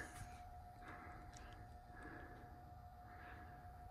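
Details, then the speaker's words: Brand-new Schumacher MC1281 battery charger connected to a car battery: steady mid-pitched hum with a faint whine pulsing in slow, even "wow wow" waves instead of an even transformer hum; cause unknown. "I've never heard one make that wow wow wow wow wow W noise all the time while it's not plugged in doesn't make me feel very comfortable pling it on to a vehicle like this"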